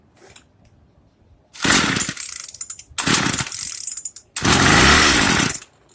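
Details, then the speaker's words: Craftsman two-stroke weedeater after regapping the spark plug: high buzzy note in three strong revving bursts, now starting and running, so the spark plug gap was the cause; it later cuts off and probably needs idle adjustment. "As you see, it's running. So it definitely was that spark plug."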